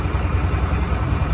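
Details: Honda SH150i scooter, about 10 years old, after the clutch, bearings and cam were rebuilt: idles with a soft, even low hum, with the earlier knocking and rattling gone.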